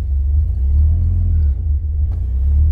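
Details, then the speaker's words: 2003 Mitsubishi Pajero NP 3.8L V6 automatic, check engine light on, code P0100: deep idle rumble dipping and stumbling twice in three seconds, not holding idle; hesitation and rough idle from faulty MAF sensor. "so this car had a problem is uh start in the car is a hesitation it's not idling keeping keep up so I can start the car okay you can see the uh check engine light is on"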